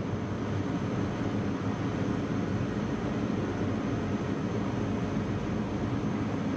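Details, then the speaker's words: Packaged AC/gas heat unit inducer fan ramping to high speed before burner ignition, after resetting a tripped low-voltage transformer breaker; even, steady roaring whoosh with no ticks or wobble, condensation coming out; normal inducer at high speed. "so all it does is ramp the speed up of the inducer here we go new condensation coming out too"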